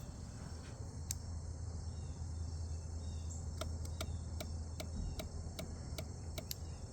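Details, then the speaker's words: 2019 Kawasaki Ninja 1000 (ZX1000) mid-rebuild, after restoring power: sharp irregular clicking, about eight ticks in three seconds, from up by the ECU; owner suspects something loose or shorted, possibly a relay chattering. "So, it didn't start until I pushed It's coming from up here, which is like the ECU and stuff."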